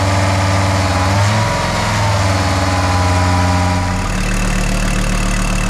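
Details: VW T4 AAB diesel engine at idle, 4,600 km after major overhaul; faint wavering whine from the belt area, pulley found with lost grease, slack and missing dust cover.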